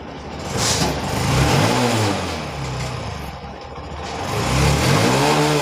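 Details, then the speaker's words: BS6 Honda Shine single-cylinder after new injector fitted to fix missing and starting problems: two quick throttle blips rising and settling cleanly without stumble or misfire; normal revving. "Start हुई bike. Idol पे छोड़ देना है। Race करते हैं।"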